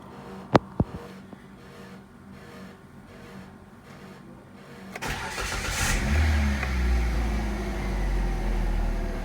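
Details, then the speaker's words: Kia All New Picanto after replacing the alternator with a Mire unit for low charging, started on a normal battery: a few clicks, then it catches and settles into a steady, even idle with no knock or squeal; works fine. "Oke sekarang kita tes pakai baterai normal Oke sip durasinya teman-teman sudah bekerja dengan baik"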